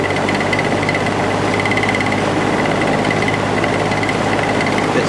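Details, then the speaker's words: Box/window fan with a repaired original motor, running on high: a loud, steady rattling hum with a high buzz and strong vibration; felt washers and bearing are fine, and the imperfect rotor causes the racket. "so you can hear all that racket coming from the motor it's it's not being caused by the washers or anything like that there's plenty of washers in there the felt washers are in good shape the bearing is in good shape it's just um that imperfect rotor"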